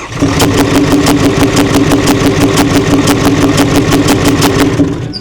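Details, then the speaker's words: 6.4L Powerstroke diesel, 165,000 miles, rebuilt engine, run for two or three seconds: sharp, heavy, evenly spaced knocks; lifter failure, suspected from a ground-down camshaft, engine must come out. "I'm thinking the reason he lost a lifter is probably because he's ground off the cam shaft, >> which would make sense why this didn't happen right away."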